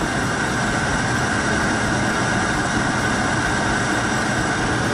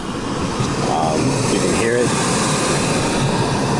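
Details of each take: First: Lennox GCS16 rooftop unit, single in-shot burner, no heat after gas turned on; old Fenwal ignition control had 24 V in but no output, control replaced: steady even burner roar with constant blower hum, no popping or flame-out; fires healthily. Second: Lennox GCS16 rooftop gas HVAC unit, gas just turned on for new tenant, not firing, utility suspected air in lines, old Fenwal control: steady whirring inducer fan with no spark click or burner whoosh; inducer runs but no ignition, no heat.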